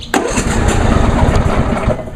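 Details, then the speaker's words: John Deere D130 lawn tractor, last run a week earlier, started on choke with foot on brake: short crank, catches quickly, settles into an even single-cylinder chug; normal cold start, sounds like an older MTD tractor with nearly the same engine. "and as you can hear it sounds just like my grandfather's older uh MTD hoson tractor which has practically the same engine"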